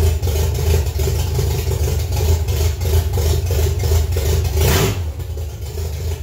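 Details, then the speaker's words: Ford Pinto's first drive after sitting almost 20 years, with new engine, wiring and fuel system: uneven low throb about three lumps a second, wandering with throttle blips; rough idle, owner suspects missing mass airflow sensor. "um yeah it wasn't idling great i think that's probably because i don't have the mass airflow sensor"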